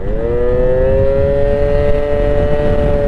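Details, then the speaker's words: Honda Dio two-stroke scooter, carb and float previously fiddled with, now puking fuel: buzzing high and steady, barely climbing when held open; rider thinks it is loading up badly, owner doubts a carb issue; cause unconfirmed. "yeah i can't tell this i think it's loading up really bad"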